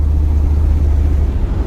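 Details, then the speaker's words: Approx $2,000 Z28 Camaro (LT1) found in a field, suspected intake or head gasket leak, smoking, driven on the road: deep loud V8 rumble with rough uneven drone and exhaust blare, major exhaust leak; misfire with exhaust leak suspected. "it is super loud there's a major exhaust leak the alignment is junk but you know what do you expect for a two thousand dollar camaro"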